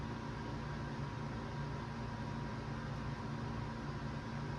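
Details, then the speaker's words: CPU fan in sleeper PC (vintage HP Pentium 3 case, B450M Pro4, new Ryzen 5 5600GT) on first boot after CPU swap; previously fan cut off and restarted from power cycling: steady even whoosh, low hum, no cutting out; normal. "I'm keeping an eye on the CPU fan to make sure it's not just turning off and back on again like it was before, indicating it just power cycling."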